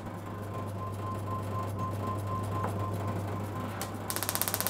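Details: Classic car distributor electronic ignition upgrade kit on test bench, output measured around 12 kV: steady hum then loud evenly spaced cracking snaps about four a second; strong spark jumping a 25 mm gap, arcing out the back of the test unit.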